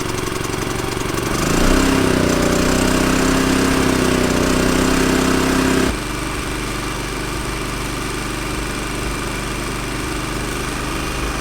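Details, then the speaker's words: Champion inverter RV generator that wouldn't start, carburetor cleaned and reassembled without the main jet: small engine revs up under load, holds steady, then drops to a smooth even lower speed; runs well though power output still not on. "all right powers still not on though generator sounding great that's all the gaps I had in there I'm not putting the main jet in boy I tell you sounds really good though"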